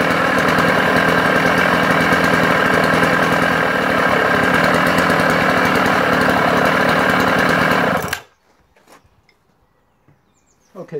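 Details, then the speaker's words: Sachs Dolmar 133 vintage 85cc German two-stroke chainsaw: even fast buzz at steady speed with rough mechanical rumble underneath until cut off; engine now noisy, cause unconfirmed, being listed for parts only. "like I say bear in mind the engine is now noisy incredibly disappointing to say the engine is no noisy guys"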